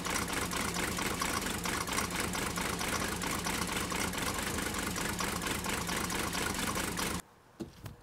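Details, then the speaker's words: Digby, a Mercedes 123 diesel, started after a healthy 123 was run for comparison; it clatters along with an uneven, lumpy idle, still running really rough and smoking a lot. EGR valve under discussion. "you get here Digby still running really rough now I know a lot of you talked about how the fact that well it's just a rough sounding diesel engine"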